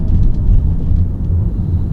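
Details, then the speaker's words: Tesla Model Y driving just after service-center repair of rattles (front loose trim piece fixed), in-cabin; only low even road rumble, no buzz or rattle from dash or rear where noises were previously heard immediately: no interior rattle. "noises, I think, are gone. Typically I was able to hear them right away as soon as I was driving."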